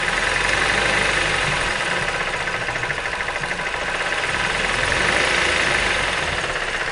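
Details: Mazda 3 with sharp metallic knocking at idle that rises with revs. The cause is a broken piston and sunken cylinder liner in cylinder 4, after a poor earlier overhaul that press-fitted the liner. Compression was normal in the other cylinders.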